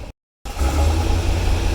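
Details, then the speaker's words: 1982 Chevrolet Corvette with Crossfire fuel injection and cam, cold, coming down from fast idle: deep, lumpy idle that surges and sags, sputtering and barely holding on; rough idle. "oh he's running like complete crap that's sputtering as this car will calm down we'll really make a bad noise"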